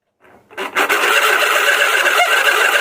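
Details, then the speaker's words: Table fan plugged in: it spins but makes a loud, steady rasping drone with a thin whine on top, the sound of a worn motor bushing. "यह बहुत ही ज्यादा आवाज हो रहा है कि हम तो चल रहा है लेकिन बहुत ज्यादा आवाज और है"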